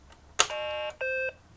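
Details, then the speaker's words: BBC Micro Model B powering up after its corroded speaker plug was reseated: two short, clean startup beeps, high then low tone, over a quiet background; the missing startup beep is fixed. "This machine should make a beep beep when it starts up."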